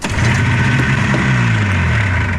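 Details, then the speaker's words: Arctic Cat two-stroke snowmobile after cleaning fuel pump and carburetor and lowering float setting for more fuel: steady busy buzz holding an even idle, no misses or stumbles; running fine. "All right, well, there you go. She runs sassy now. So the carburetor's all done."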